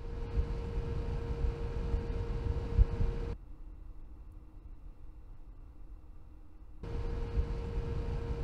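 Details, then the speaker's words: Tunçmatik Digitech ECO 2000 VA UPS after replacing its noisy cheap Chinese fan with a Noctua fan: soft, even fan whir with one faint steady tone and no rattle or buzz; quiet, normal cooling fan. "Sessizleştirme modifikasyonu ve bu konuda bir miktar başarısız olmaya doğru giderken çok başarılı bir sonuçta bitirmiş oldum. Ve ses seviyesi inanılmaz derecede azaldı."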